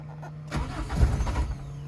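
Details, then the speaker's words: Daihatsu Charade project car with a 6-speed transmission, rain-damaged, reverse not engaging: brief crank of about a second, then it catches and settles into a steady idle; normal start. "तो आइए भाई साहब project जनाजे को जी self मारते हैं, देखते हैं भाई साहब स्टार्ट भी हो रही कि नहीं।"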